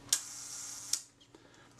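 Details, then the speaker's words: Kodak Retina IIIc shutter at the one-second setting after slow-speed gear train adjustment: sharp opening click, fine steady whirr from the timing gears, closing click; sounds right by ear and later passes the shutter speed tester, normal timing. "but um it sounds pretty good to me"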